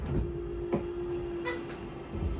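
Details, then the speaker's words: 2022 Forest River Salem Hemisphere Elite 36FL: the rack-and-pinion slide-out motor gives a steady low hum with light clicks as it travels, then clicks when fully extended. This is normal operation, different from the other three electric slides. "this slide this slide is rack and pinion style uh so it's going to sound a little bit different than the other three those are electric"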